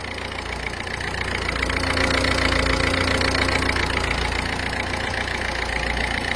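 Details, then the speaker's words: Ford Fiesta 1.4 TDCi diesel at steady idle after injector seal replacement: even clatter about 3.5 beats a second, no leaking puff or tick; original correct sound restored, to be warmed 10–15 minutes then road-tested. "En tout cas là, vous avez plus le bruit. Voilà, donc là vous avez un bruit qui correspond à l'origine, correct."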